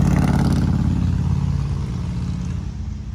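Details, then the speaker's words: 2008 Trailblazer SS3, 130,000 miles, lowered, with aftermarket exhaust and intake, misfiring above about 4000 rpm under load: high revs fall away with a ragged stumbling beat and some clatter. Owner is pretty sure worn plugs are the cause and will replace plugs and wires. "and it has a misfire so i'm pretty sure what's wrong with the what's causing the misfire is it just needs a set of plugs it's got 130 000 miles on it we're gonna go ahead and do plugs and wires"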